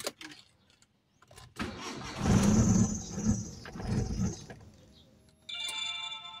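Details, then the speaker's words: Mitsubishi Lancer Cedia automatic, no check-engine light: the starter cranks, it catches, RPM rises and falls, then it sags and dies within seconds. Stalls after starting; the scan showed sensor code 32 and a very dirty throttle body was cleaned. "sir Ayan taas baba yung RPM yan patay so h pa natin ginalaw yan patay siya"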